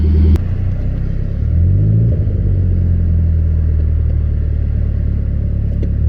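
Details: Nissan 200SX S14 on test drive with cheap AliExpress injectors, previously running lean with jerks: deep steady drone pulling evenly under load without stumbling; now revs climb consistently up to the cutoff.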